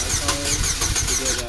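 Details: 2003 Oldsmobile Alero that won't start (boost attempt only clicked): starter spins evenly but never fires; fuel pump replaced afterwards and it then ran well.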